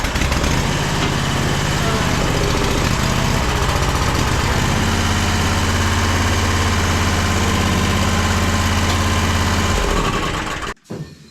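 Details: Toro Z Master commercial mower, running on partial choke and carb cleaner: engine labours with an uneven, hunting beat for about ten seconds, then dies; fuel starvation, carburetor targeted next.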